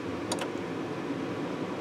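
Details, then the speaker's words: Atwood Hydroflame propane furnace in a Lance 825 truck camper, new Coleman Airxcel digital thermostat switched off: relay clicks as gas shuts off, then blower keeps a steady whoosh for about a minute to cool down; normal blower cool-down run. "The gas turns off, and then this will run for about a minute to cool down before it cuts itself off."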